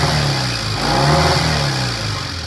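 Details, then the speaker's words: 1960 Triumph 350cc 3TA twin after repair: it started on the second or third kick, with good oil flow and charging, and revs rise and settle cleanly with no knocks or misses at a good idle. "all right so it's uh sounds good uh good oil flow we checked it started right up second or third kick and uh good idle"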